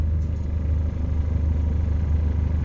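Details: Mitsubishi Lancer at normal operating temperature, idle servo bypassed with Toyota idle-up tapped to the IACV valve: steady, even low idle hum around 780–790 rpm with AC on, speed barely dipping; normal idle with AC.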